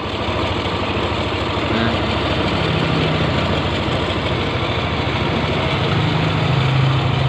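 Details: Yamaha NMAX scooter at idle with a rough engine sound, a rubbing, jingly rattle over the engine beat like something grinding, traced to worn gear teeth.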